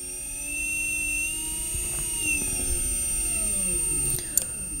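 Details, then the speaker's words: EV hypE electric vehicle conversion propulsion unit on test, main contactor clicking and buzzing, throttle in forward: clean whine rising smoothly in pitch as throttle opens, then holding steady with no grinding or knocks. Normal electric motor whine. "I will start the engine, our drive signal will turn on, we hear the main contactor clicking and the buzz, and we have our throttle right here. Right now it's in forward, so the engine will turn forward into the speed we will give it."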